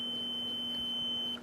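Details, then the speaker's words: Generator low-oil switch tested with a meter while the float is moved by hand: a steady high beep for over a second, then it cuts cleanly; the switch closes properly, so it works and a no-spark cause lies elsewhere. "you can hear the switch when it closes that would be when it's got low oil then that would actuate the light letting you know there's a low oil condition so this switch seems to be operating"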